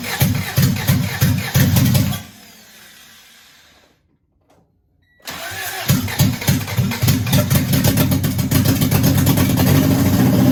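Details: Honda DC2 Integra after a fuel line fix with new fuel filter, header off, fuel pump primed 10 cycles: starter churns in even rapid beats, pauses, cranks again without catching; hard start, owner suspects too little fuel reached the motor on first run.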